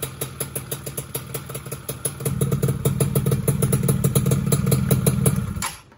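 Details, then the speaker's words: Rebuilt engine idling before the primary gear is fitted: an even, steady thump with no knocks, rattles or ticks, judged smooth and healthy; the clutch side and magneto side were listened to for noise. "Ini bisa dibilang adem loh. Ini suara mesinnya halus banget."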